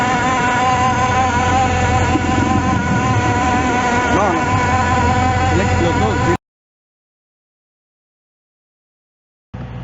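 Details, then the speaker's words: Outboard motor running with a fast rattling knock about four a second over the motor, an abnormal noise. "El cigüeñal de estos motores, de este tipo de motores, trae unas estrías donde encaja el eje. El, las estrías del cigüeñal se pelaron y por ende producía ese tipo de ruidos."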